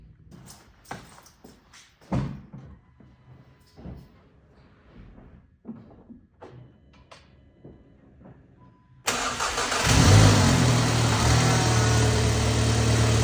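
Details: MK7 VW GTI 2.0T EA888.3 after a 529 Innovations oil cooler install, with the cooler and engine filled with oil; cranked with the high-pressure fuel pump unplugged to build oil pressure, giving a steady rapid churn that never catches, a normal no-start crank.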